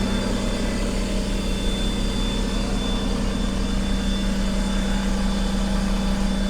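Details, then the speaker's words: 2021 Ford F-150 PowerBoost running its onboard generator/inverter with an air compressor load: smooth steady idle with a faint constant whine, no hunting or strain. Cooling fans not running and the unit is cool to the touch; normal idle. "fans aren't running on this thing interestingly so this is a pretty good unit as well it's not stressing at all"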